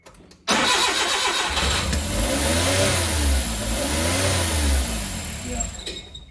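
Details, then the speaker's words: Suzuki Carry with freshly rebuilt engine, first start after reinstall; catches after brief crank and races at an unusually high, unsteady idle instead of settling; cause found as two open, disconnected vacuum lines. "okay I shut it off because this throttle is going too high it's not idling it's going too fast"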